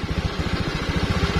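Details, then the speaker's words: Honda Vario scooter that only clicked on the starter despite a new battery, after wiring the red and yellow starter wires: starts at once, steady even single-cylinder idle, about twelve pulses a second, no misses. "Oke jadi Sudah langsung bisa bunyinya seperti itu ya temen-temen"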